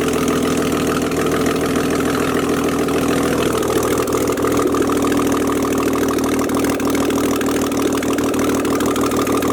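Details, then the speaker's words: BMW E46 idling just after its first startup following rebuild and E90 six-speed gearbox fit; steady even idle, smooth low drone, no knocks or ticks over nearly ten seconds; sounds healthy and settled. "Can you hear it from that side? It sounds sweet."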